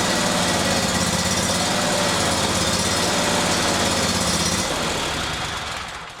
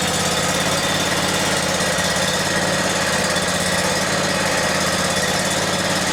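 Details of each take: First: Briggs & Stratton Vanguard 37hp big-block EFI V-twin, freshly serviced (new plugs, filters, oil, fresh gas), lopes and surges unevenly on start-up; no trouble codes in software, high-pressure fuel pump (spec about 39 psi) still to be tested. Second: Briggs & Stratton Vanguard 37hp big-block EFI engine, which surged before, after fuel pump pressure testing (39 psi target) and bleeding air from the fuel line: loud, steady, even note with no surging; normal running.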